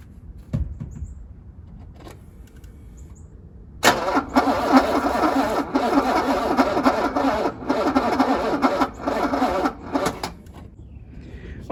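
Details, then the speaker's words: 1985 Mercedes W126 SEC on a low jump pack: the starter drags the engine round slowly and unevenly, about three or four beats a second, and it never fires. Slow cranking from low battery. "All right, I try starter, and of course my jumper is low, so it couldn't move much."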